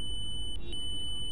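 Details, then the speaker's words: UPS circuit board MOSFET checked in circuit with a multimeter: a steady continuity beep reads a dead short. It will be desoldered to confirm, since another short on the board could cause this reading. Shorted MOSFET. "মসফেটটি short রয়েছে দেখুন এখানে beep sound হচ্ছে short আছে বলে জানতে পারছি"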